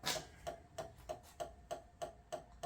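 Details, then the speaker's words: Used Code 3 emergency light bar on a bench battery charger, one lead (pink wire) connected, wiring getting warm fast, two white rear lights active. Sharp, even ticks about three times a second; owner unsure whether a breaker is tripping or a flasher. Abnormal ticking, cause unknown. "It doesn't sound right. We're gonna have to investigate that."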